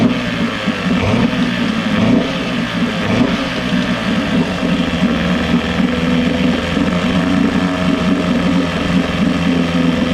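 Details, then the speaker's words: Johnson 6hp two-stroke outboard, compression and spark good, hard to prime: buzzy note climbs briefly on throttle, then sags and stumbles. Lean bog on acceleration, attributed to the float set too low starving the bowl. "It's hard to prime, it bogs out under acceleration"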